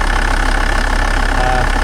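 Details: 1996 Volvo 850 TDI 2.5 diesel D5252T, Bosch VE EDC pump, during hammer-mod and air-flow-meter adjustment: loud, low diesel rumble at idle with a slightly lumpy, uneven beat; rough idle, owner suspects rich running or worn injectors.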